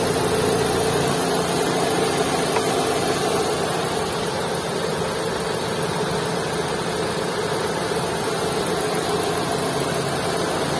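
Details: Maruti Suzuki Swift 2022 at idle: loud, dense drone with a gritty hum throughout and no clear knock rhythm; abnormally heavy engine noise.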